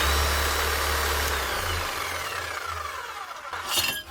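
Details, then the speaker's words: Bosch GBH 8-45 D demolition hammer being test-run: motor hums steadily, then winds down smoothly with a falling whine, with no clicking from the eccentric gear, which can break; normal running. "Sometimes they can break, so if you're hearing a clicking noise coming from up here, stop the machine and check that out. But this one doesn't sound too bad."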